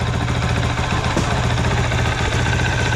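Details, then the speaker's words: Honda CRF450L at a little over 100 miles, idling with engine covers removed after first oil change to Amsoil synthetic; steady loud single-cylinder idle with faint gear whir, no knocking; normal idle with slight gear noise. "Now you can kind of hear the gears a little bit. That's only because I'm being picky."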